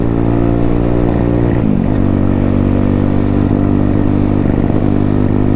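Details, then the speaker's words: Zongshen Z190-engined Honda C50 on the road after bogging: single's note wavers and stumbles under light throttle, then picks up, spluttering at part throttle; rider unsure why, suggests it may need a spark plug. "Oh, it's really spluttering now. Why? I don't know."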